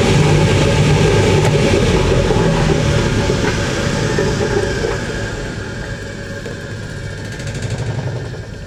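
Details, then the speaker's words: 1980s Ariston by Colston Electronic 3000 spin dryer, auto pump version, with towels, lid held: deep rumble easing into a smooth rising hum as the drum winds up toward 3,000 rpm, no scraping or banging; normal spin-up. "Hold this here and see if we can capture how fast this is when it ramps up. Ready? You want to see 3,000 RPM? Here we go."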